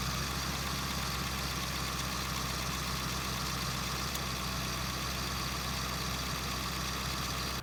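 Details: 2001 Ford F-350 diesel idling, checked with a mechanic's stethoscope; thin steady high squeak over even idle, belt squeak, which pulley is causing it remains unclear, stethoscope test inconclusive.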